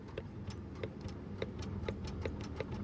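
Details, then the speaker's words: EZGO gas golf cart: sharp repeated solenoid clicks about three a second with no motor cranking when the pedal is pressed; battery reads 10.6 V dropping to 10.5 V, solenoid already replaced, still clicks but won't move. "All right, you hear that clicking? Now, so that tells me the solenoid is engaging. Now, the customer said I put a new solenoid on it, it still clicks, but it don't move."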